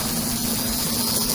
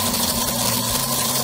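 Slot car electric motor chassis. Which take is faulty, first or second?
second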